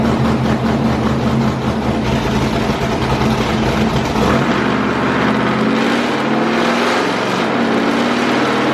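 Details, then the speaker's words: 6.0L LS-swapped Willys Jeep with LS cam and heads on the dyno with HP Tuners custom tune; power stops building above 5800 rpm regardless of tune, fuel pressure briefly suspected. Tone climbs under hard pull, then goes flat; valve float. "the truck just definitely changed pitch at 5800 no matter what we did to the tune-up it just was pissed off above 5800 rpm it did not want to build anymore"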